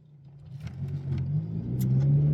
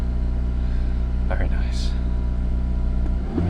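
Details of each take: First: Honda Civic FN2 Type R with old aftermarket exhaust, driving and revving into VTEC: deep, boomy low rumble swelling as revs rise, noisy and droning, worst at low town speeds, trombone-like and farty. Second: Honda Civic Type R (FN2) cold start after refitting standard exhaust in place of aftermarket: smooth low idle with two quick throttle blips, deep but subdued note, no drone; much quieter, normal.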